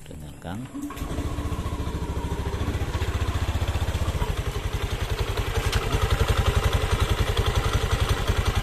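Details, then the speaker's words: Honda Beat FI scooter at idle and when first started in the morning: rough idle with fast steady klik-klik clatter about four per second from the CVT; suspected rear pulley, front pulley or loose boss, not yet confirmed before teardown. "Ini suaranya klik klik klik klik klik gitu kan. Ini bisa beberapa macam ya, beberapa macam penyebab, bisa puli belakang, bisa lakar ini atau puli depan."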